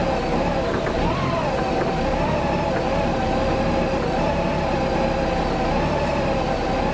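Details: Warm idle after 7–8 minutes at about 45°F ambient, with the cooling fan not yet cycling: a steady drone whose tone keeps wavering unevenly up and down. Rough, surging idle from fuel pump voltage surge.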